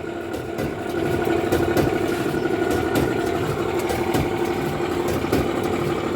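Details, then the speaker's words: Speed Queen/Alliance commercial tumble dryer running, loud heavy rumble, hum and irregular knocks, also heating poorly. A damaged idler pulley and worn drum slides were found and replaced, along with the pulley nut. "see this noise just like a cushion noise it's very bad noise it is I"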